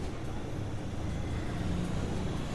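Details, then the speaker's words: Mixer grinder motor after bush replacement and refitting: a low, steady hum with no rattle, knock or scraping. It now runs smoothly and almost silently, where before the failed bush made it noisy. "देखिए अब हमारी motor जो घूम रही है वह जरा सी भी आवाज नहीं कर रही है आप सुन सकते हैं"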